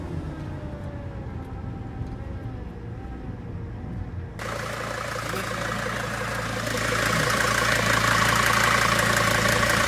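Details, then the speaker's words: T1N Mercedes Sprinter 3500 diesel with belt-driven rear air conditioning, turbo leak also suspected; at idle a steady humming whine from a power steering pump low on fluid; power steering pump whine. "that might be power steering but yeah the wing is power steering it's definitely got a turbo"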